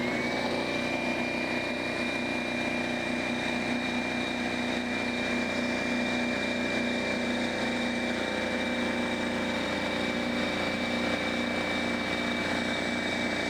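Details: Brand-new DeWalt 55168 15-gallon air compressor, first start filling a drained, empty tank with the regulator at factory setting and timed to cutoff: a constant high whine over steady, rapid pump chatter. Running normally.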